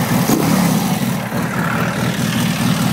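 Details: Freshly built VW air-cooled flat-four stroker engine with Nology ignition, points re-gapped from 0.002 to 0.018 and distributor locked down, compression 180 psi: instant start, revs cleanly and evenly with no stumble or flat spot.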